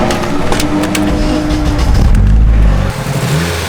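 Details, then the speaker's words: RWD-converted Honda Civic at the track, around a spark plug change: the engine revs unevenly, stumbles and breaks up, hesitating under throttle. The misfire worsens under load and the car is retired for the day. "you're here hesitating and under load it only gets worse so looks like this honda's done for today"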